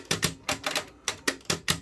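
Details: Sony TC-RX410 tape deck, clicking after a broken-belt repair: sharp dry clicks in quick pairs with no motor or tape sound; mechanism clicks but won't play.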